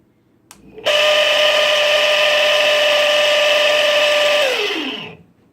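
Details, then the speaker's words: Chugger brew pump whines at steady high pitch with harsh buzzy rattle, then winds down: not cavitation but the impeller loose and chattering on its shaft; fix is wrapping 3/4-inch Teflon tape. "everybody would tell you this is a cavitation it's not it's chattering on the shaft what I mean by that is the impeller here is moving on this shaft"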